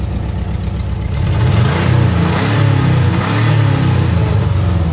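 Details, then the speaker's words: Restored 1983 VW Westfalia Vanagon, engine said to be the same as the Porsche 914's; brief throttle blip, note rises smoothly and settles with an even beat; engine runs nice and smooth. "you hear the engine run runs nice and smooth I rev it up a little for you"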